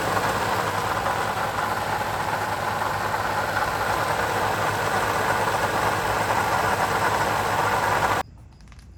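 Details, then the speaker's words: 2020 Toyota Sienna at idle: constant rough growl and fine rattle from the front of the engine; water pump pulley has play, bearing worn. "Sounds like the noise is coming from the water pump. Let's see if I can get a good look at it. Yeah, has a little bit of play in that pulley. So, the bearing is shot."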